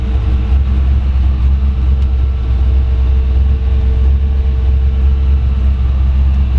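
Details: 1933 Ford Factory Five kit hot rod coupe, Ford 302 V8, AOD automatic, Dana 3.73 rear, 586 miles, revved from driver seat: deep steady V8 rumble, even firing, no knocks, misses or rattles; healthy.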